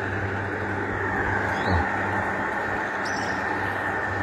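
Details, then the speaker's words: Panasonic F-ER303 box fan after full cleaning and repair of the swing (synchronous) motor head, running at speed 3: steady even rush of air over a low motor hum, no rubbing, ticking or wobble; normal operation at high speed. "Nah ini bisa muter sobat speit dua ya makin kencang suaranya sobat sep3 ya makin kencang"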